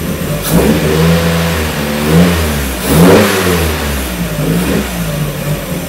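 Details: 1994 Miata NA with 2000 NB engine, first start on Megasquirt and EDIS-4 ignition, 4-2-1 header, Yonaka exhaust; initially rich, VE leaned out; engine blips and settles, revs rising and falling cleanly with even note, no stumbling: smooth running.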